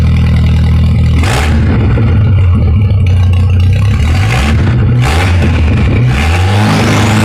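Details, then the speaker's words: 2.3L turbo Ford sand rail after a timing adjustment, compression checked good: engine revving hard, sounds better than before but a loose metallic clatter rides over the exhaust; unclear whether the timing change fixed it, source not pinned down. "it sounds better than it was before it sounds like it anyways it kind of has a weird clatter"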